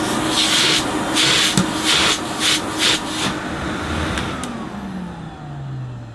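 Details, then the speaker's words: 1980s Hoover S3126 Sensotronic System 1 cylinder vacuum, single-speed 900 W motor: even motor hum under handling rubs, then a smooth falling whine as it spins down; motor runs healthy. "this one sounds fantastic though doesn't it"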